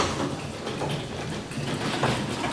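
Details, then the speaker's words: Garage door after maintenance with silicone lube on the spring pulleys, disengaged from the opener and raised by hand: a soft, even roller rumble with no hinge creaks or squeaks. It sounds healthy. "sounds good to me don't hear any um any uh hinges creaking or anything that sounds pretty fantastic if i'm honest"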